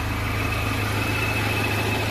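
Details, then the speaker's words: Hyundai Accent Verna idling with AC compressor engaged, cabin already cold: steady, even, smooth idle with no snoring or knocking, which would mark a failing compressor; compressor sounds healthy. "Nah ini kebetulan ini masih halus, gak ada masalah, kompresor masih bagus."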